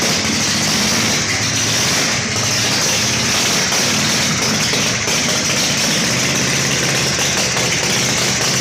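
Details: Harley Shovelhead chopper with Motogadget M-Unit wiring and a new battery, finally started after a jumper ground to the engine fixed a bad ground through the powder-coated frame: steady, even idle, constant low rumble, no misses or knocks.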